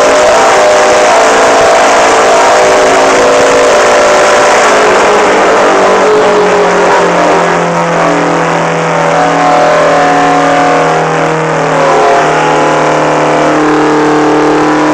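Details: Old GMC 650 with Detroit Diesel 4-71 two-stroke, first start after 30 years: sticking fuel rack causes runaway, engine screaming at sustained high revs with wandering pitch, never returning to idle, until choked out.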